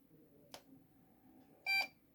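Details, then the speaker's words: Lenovo ThinkCentre M93P desktop with no display: click at power-up, one short high beep, then it recycles continuously with no POST, boot loop caused by loose, badly seated RAM. "Yeah, so it attempts to power up, one beep, and then it recycles, just doing this continuously."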